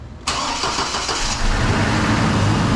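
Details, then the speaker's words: 2005 Chevy Colorado with replacement junkyard engine and reinstalled cam, first start after reassembly; cranks briefly, catches at once and settles to steady even idle, no misfire; normal engine start. "yeah baby that's what i'm talking about who's burning like a kid man this nice primer finally hear this thing run finally man look at that sounds awesome right there"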